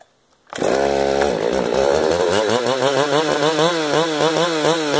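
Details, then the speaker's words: 455 chainsaw during carburetor tuning, new round-filed chain: fires and holds high revs but pitch wavers and surges; runs real shaky, owner suspects the crank; excessive vibration, cause not confirmed. "Oh 13 oh why this is real shaky shouldn't be like that the crank"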